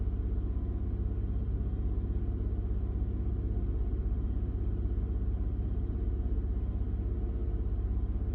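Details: 2000 Honda Odyssey at idle: low, lumpy idle with an uneven pulse about twice a second; rough idle, O2 sensors suspected, cause unconfirmed.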